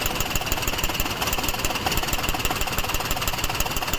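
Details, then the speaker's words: Maruti Suzuki WagonR idling in CNG mode with misfire and vibration, no check light, fine on petrol: fast sharp ticking from an overflowing CNG injector; it stops when the first injector's connector is unplugged, and the injector is to be replaced. "यहां प टक टक टक टक का आवाज आ रहा है अभी फर्स्ट वाला निकालता हूं देखते बंद होता है क्या यहां पे सॉकेट निकालने पे आवाज बंद हो गया"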